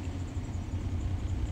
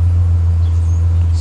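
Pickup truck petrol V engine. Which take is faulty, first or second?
first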